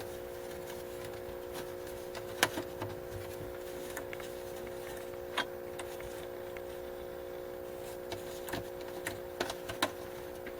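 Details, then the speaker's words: Motorola 51M1U AM vacuum tube radio, ramping up toward 120V on a variac before capacitor replacement: steady low buzz in even steps with occasional small clicks; mains hum, possibly tired filter capacitors, not confirmed. "I think that's how it works. I hear buzzing already coming out of it. Let's get up to 120."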